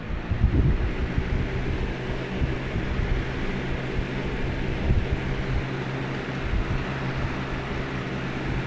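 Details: Lasko WeatherShield box fan (2017) turned back on, running low: soft even whoosh with faint steady hum and some wind buffeting; turning smoothly, normal running.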